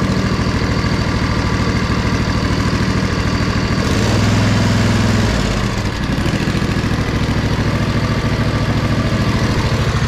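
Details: Poulan Pro zero-turn mower with sealed hydros, first start after choke freed and fuel shutoff opened: steady even putt-putt about 200 beats a minute with brief swell midway; idling smoothly and healthy.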